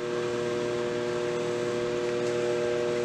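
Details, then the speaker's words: Whirlpool over-the-stove microwave, about 1 year 3 months old, running with the turntable turning but not heating: a loud, steady electrical buzz; failed magnetron and high-voltage diode suspected, both to be replaced. "turning, like it's moving, but nothing is going on. So we are going to, like I said, take this apart. Typically there are two parts. It is the diode and the magnetron that are bad in these cases."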